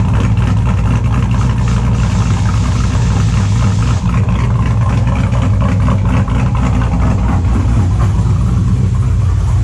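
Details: 2002 Chevrolet Silverado with a built LS V8 and a cable throttle body, idling after a cold start: extremely loud, lumpy, steady deep loping rhythm on all cylinders, no misfire stumble or knock; owner says it runs good; normal idle.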